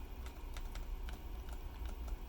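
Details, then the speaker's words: Custom magnetically stabilized keyboard stabilizer, new design with thicker stem on Riskeyboard 70: tapped key gives light soft taps with only a dull low thud, no rattle or ping, compared with the original design. Quiet stabilizer operation. "hear me tapping it it's really quiet right"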